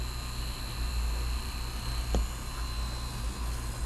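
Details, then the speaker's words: Marui Samurai 1/10 4WD buggy can motor after oiling both ends: a steady, even electric hum and high whine with no stutter, quieter now. It had jolted and run rough at first switch-on; it now sounds really healthy. "I'll throw it at this end as well. Makes it even quieter. That sounds really healthy."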